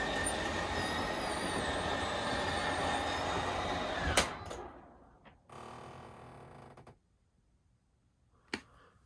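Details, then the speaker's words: Schwintek RV slideout after Lippert replaced one side, in cold weather: steady, even motor drone for about four seconds then a clean stop; runs smooth and healthy, faster than before repair. "they replace the one side it's working great all right we're going to bring the slide out in and now we'll send it back out"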